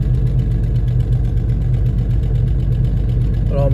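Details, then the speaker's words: Jeep Cherokee 4.0 inline-six cold-start idle with a loose, uneven tick around 160 a minute over low rumble; sounds almost like locking but owner believes exhaust manifold gasket leak plus exhaust rattling. "almost sounds like the engine's locking, but it's not. It's the exhaust manifold gasket, I believe. And just the exhaust rattling around."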